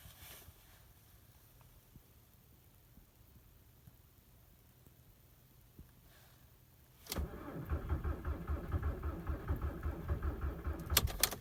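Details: 2003 VW Jetta TDI (ALH) at about -19 to -20°C, running roughly 20% biodiesel that has solidified and 80% winter diesel, after three glow-plug cycles: the starter cranks slowly and steadily for seconds and never fires. Owner suspects the biodiesel contributes.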